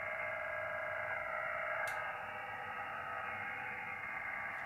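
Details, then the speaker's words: HF ham receiver on a K3 with noise reduction on: a steady rushing hiss with fast pulsing flutter, about four beats a second, from an outside source not yet tracked down; motorboat noise that the MFJ-1026 noise canceler largely removes. "so you can see it pretty effectively got rid of uh most if not of all that motorboat uh noise"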